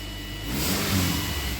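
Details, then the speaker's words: Subaru Forester after replacing badly worn spark plugs (it had check engine light and ran rough): picks up cleanly off idle and runs evenly; off-idle stumble gone, normal running. "the little off idle stumble is completely gone yeah this car needed a set of plugs in the worst way"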